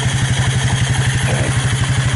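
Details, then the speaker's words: Abandoned Suzuki KingQuad 300 4x4 ATV after Mikuni to Keihin clone carb conversion: even, fast, regular single-cylinder thumping, no misses or hunting; purrs right along, healthy idle. "yes she purrs right along"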